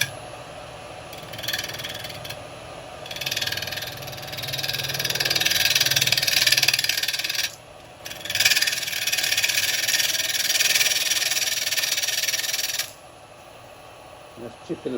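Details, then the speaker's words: Woodturning a bowling ball on a lathe with carbide chisels: hissy cutting in bursts with rough, uneven chatter as the tool bites the out-of-round piece, chipping. "go through it in a minute there we go because he's out around that's why it's chipping"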